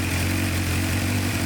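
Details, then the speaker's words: 2006-2007 Suzuki GSX-R 600 four-cylinder left outside for months, wouldn't stay running, first start with airbox off: lumpy uneven idle with hollow intake roar; running really rough, cause not yet found. "so clutch in and it runs it runs it's running really rough we have the air box off here we go"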